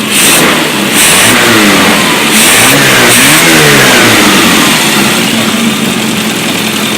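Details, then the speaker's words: Freshly rebuilt 1380cc Mini street engine with a Cooper S remote-shift 3-synchro gearbox, on a test stand with a test alternator and test exhaust. Crisp, even revs rising and falling cleanly, no knocks or misses. Normal engine revving. "Beautiful, quiet, no vibration, smooth, shift through all the gears, no oil leaks. Looking very nice."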